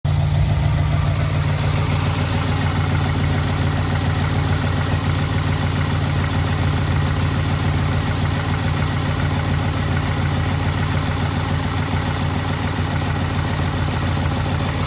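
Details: 2011 Ford F-150 5.0 V8 at idle: steady, rapid knocking beneath the exhaust drone, suspected rod knock from a worn connecting rod bearing; not confirmed.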